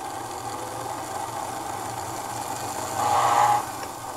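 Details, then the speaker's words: O gauge diesel after fresh grease worked in, running slowly on the bench; even steady motor whir with no catching or grinding, smooth motor running. "I just want to run it nice and slow so I'll make a mess everywhere. You just hear how smooth this engine is"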